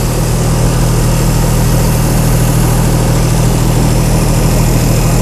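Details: Chrysler 225 Slant 6 generator engine converted to Holley Sniper EFI, warming up after first start; oil pressure 45 psi, coolant about 77; deep even smooth idle without knocks or misses; normal warm-up idle.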